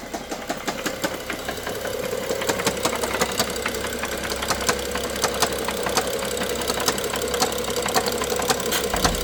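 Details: BMW F07 with N55 engine idling: sharp, regular ticking knock riding over the steady hum.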